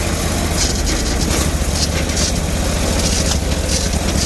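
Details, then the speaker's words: Bolens Hydro Eliminator, 20HP Briggs V-twin, choke frozen, iffy main ground: uneven scratchy running with irregular sharp pops every half second; owner suspects it's running on one cylinder, though both cylinders later felt hot. Rough running with backfiring. "the odd backfire out of her. She's a little loopy. I hear a little scratchy noises coming from her."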